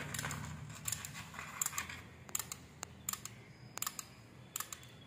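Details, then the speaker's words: IFB front-load Ultra washing machine control board, switched on: sharp dry relay clicks at uneven intervals, about one a second, display stays off and no motor or pump; cause found to be a weak 12 V capacitor. "மட்டும் கேக்குது டக் டக்குன்னு sound மட்டும் கேக்குது display on ஆகல"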